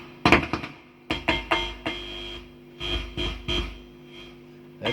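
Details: Behringer V-Amp Pro with steady mains transformer hum and sharp crackling bursts and ringing whenever tapped or handled; microphonic noise seemingly centred on an input jack and line-in selector switch.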